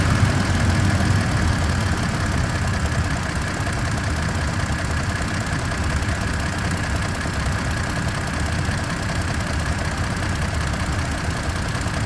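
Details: 2023/2024 Tacoma TRD OR (year given both ways) at idle, with a constant pulsing helicopter-like whir riding steadily over the engine; its source is unknown.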